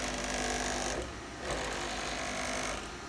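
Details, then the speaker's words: JMC iHSV57 100 W servo on a Taig lead-screw CNC mill, 48 V supply, 150 IPM, 22 in/s² acceleration: smooth buzzy whir rising and falling as the axis moves, no power supply clicking; normal rapid traverse. "so look at let's go it's crazy fast I've never seen anything like this in person"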